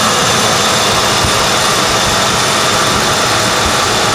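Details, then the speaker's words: 1995 Ford Crown Victoria LX, under 12,000 miles, garaged 18 years, shortly after cold start with engine still cold: steady, even quiet hum, no knocks, ticks or misses; normal cold idle. "And the engine's still kind of cold, but you can see right here just how quiet it is."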